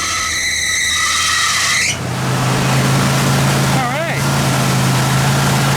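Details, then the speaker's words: Junkyard bullnose Ford truck converted from EFI to carburetor, cold start with choke: high shrill squeal right at start-up, then settles to low idle; owner says the alternator belt is clapped out and the 3G alternator needs juice at start, new belts coming. "I got him getting some new belts for this thing that alternator belt it's pretty clapped out that 3G needs some juice when she starts"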